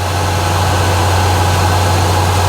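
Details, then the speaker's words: 1968 Ford F100, 360ci V8, after replacing cracked spark plugs that caused arcing from the boot: steady even idle hum, earlier ticking/spark snapping gone, fires right up; normal idle. "and it's not spark, you know, it was a ticking sound, right? And we're not getting that sound anymore. So you know, and the fact that she fires right up is also kind of exciting."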